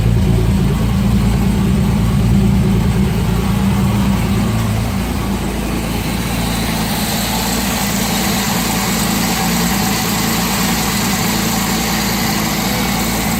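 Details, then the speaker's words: Project car with a 3-inch turbo-back exhaust just built, idling. Steady rumble with a faint puffing tick near the front, otherwise quiet: a small exhaust leak up front. "Only a little bit of an exhaust lick up front here, but other than that though, pretty quiet considering."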